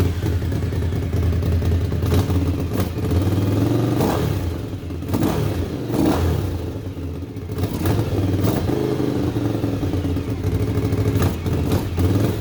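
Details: 1998 Suzuki TL1000R V-twin revived after sitting 15 years, fresh oil change and water as coolant, stationary: sharp throttle blips rise and fall cleanly over steady idle, even firing, no knocks; healthy, though wiring issues remain.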